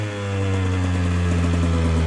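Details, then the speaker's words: 2017 KTM 150 XCW two-stroke with a Lectron Billetron carb, warming up after a mixture adjustment: steady, fairly fast idle that hangs instead of settling. Hanging idle, lean mixture. "That's definitely a hanging idle, which means it's too lean."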